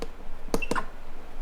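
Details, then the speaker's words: Vevor 15x15 auto heat press raised toward its highest pressure level, P5. Two sharp clicks about a fifth of a second apart as the platen presses down; the stamping noise is unexplained. "so now I'm taking the pressure up to the highest level and I can hear it stamping there's a noise that it's making"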